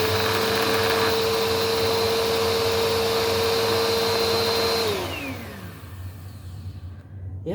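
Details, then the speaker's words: Bissell Powerforce Helix vacuum, blue, with bearing added and old belt, first run: smooth steady motor whine, no grinding or squeal, winds down cleanly at switch-off; normal, quiet running. "So, all right, here we go. First run. Actually, it sounds pretty good."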